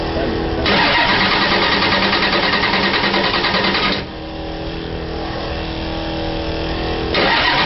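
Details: Engine cranking cold at 38°F in mid-December, won't fire on its own below 50°F: steady starter cranking about three turns a second with only faint sputters and no catch.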